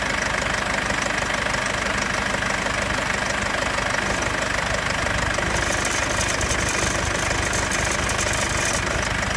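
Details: 2015 Mercedes C220 CDI W205 diesel at steady idle after the cold-start phase: a light, fairly even metallic clinking rides over the idle; metallic rattle, source unknown.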